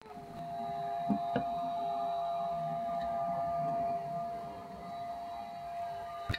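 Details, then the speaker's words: Elegoo Neptune 2S 3D printer power supply fan with worn bearing, supply trimmed down to about 20-21 V to cut fan rpm and noise; steady thin whine at constant pitch over a soft air rush, worn fan bearing whine. "so the point is that if we run the fan this bearing is not in good condition if we run the fan at a lower voltage the rpm is going to drop"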